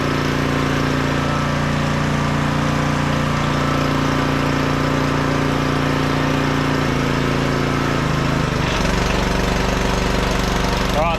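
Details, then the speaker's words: 1500 W auction generator powering a heat gun on setting one (1350 W): steady low hum that dips and settles as the load changes, then holds an even note; runs fine, heat gun gets hot. "on number one seems to be running it fine nice and hot"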